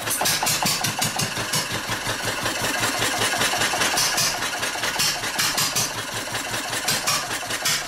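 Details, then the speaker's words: Old 2.5 hp engine running its tank dry: ragged, uneven firing with gaps and sputters instead of a steady beat, starving for fuel until it stalls out of gas. "Well, she's starting to starve. Running out of fuel. Poor thing, running out of gas. Sounds like a real hit and miss now."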